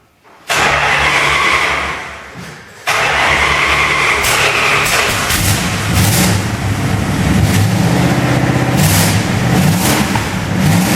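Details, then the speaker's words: 1928 Dodge rat rod with new custom exhaust and turn-down tailpipes fires up and revs loud, with sharp puffing ticks from exhaust leaks at the header joints because no header gaskets are fitted. "okay guys we'll fire it up got a bunch of exhaust leaks because i got no header baskets"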